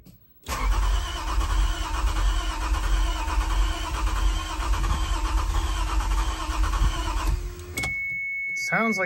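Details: 1993 Toyota MR2 SW20 with a swapped-in 2GR-FE V6, first start attempt after installation: starter churns about seven seconds without catching or gaining speed, then stops and a chime sounds; cranks but won't start.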